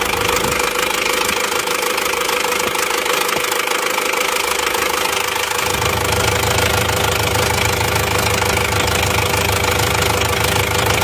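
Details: Isuzu Panther LS diesel running a borrowed injection pump gives a harsh, hard clatter of about two knocks a second at idle. The cause is one dribbling injector nozzle and a worn pump rotor head.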